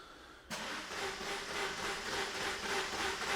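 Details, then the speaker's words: 2006 Opel Corsa 1.3 diesel (Z13 engine) on a not fully charged 12 V battery, crank no start: slow, uneven cranking at only 200 rpm with rail pressure of just 58 against the 250–300 bar needed to start. "we only gets in 200 revs per minute which obviously isn't enough and we're only getting 58 psi"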